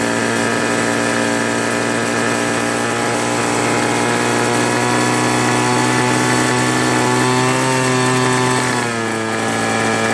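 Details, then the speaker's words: Free two-stroke leaf blower (Troy Bilt/Homelite) that only started on low choke: it screams at high revs, then the tone sags and drops; won't hold full throttle unless choke is in the middle. "It doesn't run at full throttle for long. It wants to slow down."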